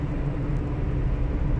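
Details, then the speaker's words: Car moving at about 65 km/h and faster: steady low hum over road rumble from the rear left, worn rear wheel bearing; hub found not spinning smoothly, replacement planned. "Seems that the wheel bearing has gone bad Because yesterday, when I removed the wheel, I noticed the hub was not spinning smoothly"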